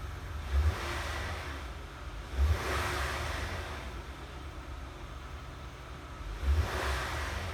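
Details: Honda Odyssey, about 190,000 miles, after fuel pump module replacement for slow starting and fuel pressure regulator fault: quiet steady idle with three clean throttle blips rising and settling promptly; healthy response.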